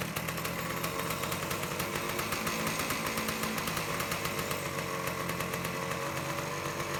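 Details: 1978 Suzuki PE 250 two-stroke dirt bike awaiting restoration, started after carburetor float work, throttle cable likely the wrong one; crisp rapid ring-ding crackle at steady fast idle, even firing, no misses, running healthy.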